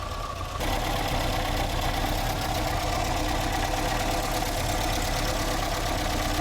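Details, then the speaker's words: 1960 Triumph TR3A at idle with oil pressure just over 50, checked with a stethoscope: a constant gritty whir rides over the engine, unchanging at idle speed. The water pump bearing is badly worn. "Yeah, definitely water pump. The water pump bearing is going crazy."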